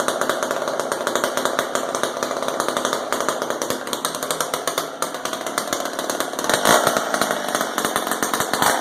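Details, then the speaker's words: McCulloch Super 10-10 vintage two-stroke chainsaw after carburetor high/low needle adjustment (carb not disassembled, old fuel dumped): sharp, rapid buzz holding steady without bogging or surging; mixture right, normal running. "I think this sounds pretty good. Let's try that guy one more time, see if it starts up."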